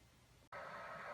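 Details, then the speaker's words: PS4 after cleaning clogged fan, replayed same game session under load: steady soft airy whoosh, no rattle or whine, much quieter than before though not silent; normal cooling fan noise under load. "okay so this is the PS4 now as you can see it's not totally silent however it is a lot more quiet than it was before"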